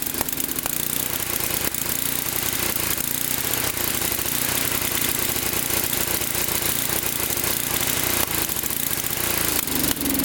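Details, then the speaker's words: Fairly low-hour late-model Tecumseh Snow-King small engine with a leaking intake valve: ragged, stumbling run with uneven pops and dropouts; it misses, and taking the choke off makes it backfire and stall. Sounds like a fuel or timing fault but isn't. "so as you can see the basic symptoms of the problem were just that the engine doesn't run very well it sort of misses and when you try to take the choke off it backfires and stalls out"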